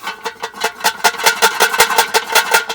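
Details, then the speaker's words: Rusty muffler removed from a Kohler Courage 19 hp Ariens garden tractor, shaken by hand: loose metallic clatter, about five hits a second, from a broken-loose internal baffle that rattles when the engine runs; to be cut open and removed or tack-welded. "You can imagine the noise that makes when it's running. So there's a baffle inside that is loose. Makes all kinds of noise."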